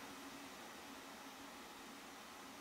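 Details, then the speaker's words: Fostex D1624 recorder after the hard-drive cooling fan was modified and hot-glued to damp the noise: a steady, soft airy hum with a faint low tone and no rattle; still somewhat noisy but much better than before. "well we'll see still kind of noisy for me but it's okay it's it's a lot better though than it was anyways"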